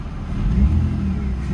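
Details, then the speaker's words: BMW E46 at idle with AC on, in very hot weather, after injector work. Low, smooth rumble holding a steady speed with no misses, stumbles or hunting; revs stay in one spot. "all right so I got it show on this AC bro but so far uh revs look good they're staying in one spot"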